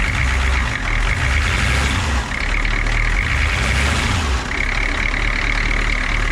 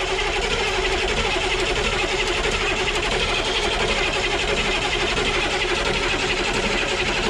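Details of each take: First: Humvee diesel after a valve cover gasket replacement and re-tightening of the spitting lines: a deep, steady idle clatter, even and unbroken with no hunting, so it runs healthily. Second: Humvee diesel after valve cover gasket, CDR valve, intake and fuel line work, cranked outside with the injector lines loose (finger tight) to purge air: fast, regular churn of about four beats a second, no firing; still purging air.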